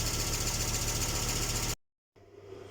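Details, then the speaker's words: Volvo 850 T5-R engine at operating temperature after restoration and cooling-system bleeding. Lifters that ticked at first start are now quiet; steady, even idle with a smooth hum. "okay there we are that's the cooling system all bled out and the noisy LIF is gone now the engine's got up to temperature"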